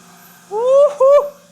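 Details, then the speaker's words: OSG HiPro non-ferrous end mill, about 8D long, doing trochoidal semi-roughing on an aluminium part: two short tones rising as the cutter bites in, clean and steady with no chatter or squeal; the sound is said to be completely normal. "音がね、全然普通っすね。この波長でこんなトロコイドやっとんの初めて見たな。良さそうですね。"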